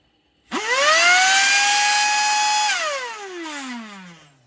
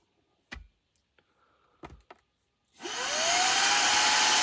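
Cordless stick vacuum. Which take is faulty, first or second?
first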